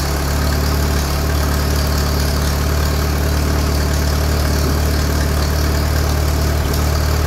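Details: Allis Chalmers tractor engine (Allis B or similar) running after magneto re-timing, started with a ratchet and no kickback: a low, even putter with no misses, popping or knocks. It runs well.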